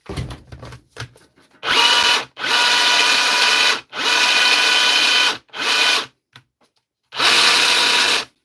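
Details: Dewalt DCH273 SDS rotary hammer drill on repair bench, test drilling: short bursts of harsh, gritty whirring with no percussive beat; the drill grinds and spins but isn't hammering.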